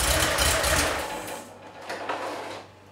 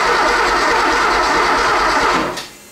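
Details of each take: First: 3.2L Porsche 911 Cabriolet after head studs, cleaned/resealed injectors, drained old fuel and restored spark: cranks briefly, catches sharply, settles into strong even idle with no misfire or knock; healthy start. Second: 3.2L Porsche 911 Cabriolet after head stud replacement and injector clean: starter spins engine evenly ~2 s with no firing, cranks but won't start, suspected no spark; later found distributor cap not seated and no alarm-module signal.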